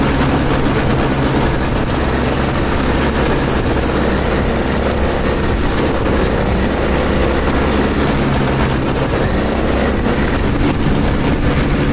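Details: Two-stroke snow blower started in cold, windy weather after sitting 10 months, choked and unprimed. It holds a steady, buzzy, even note without stumbling or surging. Started pretty good; self-propel isn't working and owner suspects a worn impeller.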